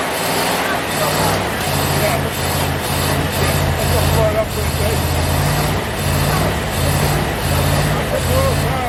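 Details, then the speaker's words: Rover P6 estate V8, five-speed manual, barn find: lumpy idle with a regular stumble in the low thump; one cylinder dead, distributor cap cracked inside. "there's at least eight there was it eight well no one's not working because the decision was kept cracked inside so it's firing on about five"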